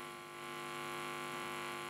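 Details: Marantz 7 clone preamp, one channel: steady low buzzy hum with no rhythm, changing as the preamp board is moved near the power transformer; hum induced by transformer pickup.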